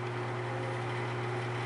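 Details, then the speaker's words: Vintage Arctic Air fan fully reassembled, highest speed: even steady air rush over smooth low motor hum, no ticking or scraping; normal running. "so this will be the highest speed right here it's really moving a lot of air it's impressive"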